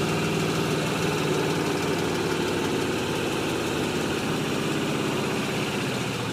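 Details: 2005 Pontiac GTO LS2 V8, 115k miles: steady idle with a light, uneven tick running through it; something ticking at idle, cause not obvious.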